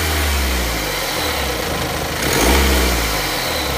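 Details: BMW X3 F25: engine revs up and settles with a rattly, chattering edge over the drone that rises with rpm; timing chain noise.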